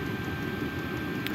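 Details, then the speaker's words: Vevor 8kW Chinese diesel heater, two years old, ice-clogged exhaust pipe cleared, level 10, about 20 minutes running, element 221°C, 11.8 V, 9°C tent; even steady burner roar, no sputter, clean normal combustion. "I put it up to level 10. And we're burning clear with no soot."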